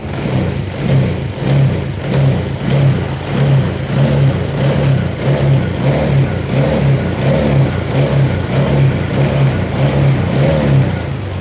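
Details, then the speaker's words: Honda Vario scooter that ran rough cold but normal hot, after a reset, engine at 82: repeated throttle blips about every 1.5 s rise and fall cleanly, no popping or stumbling, unlike the earlier blebek-blebek. "ini sudah beda teman-teman beda ya Kalau tadi itu blebek-belebek"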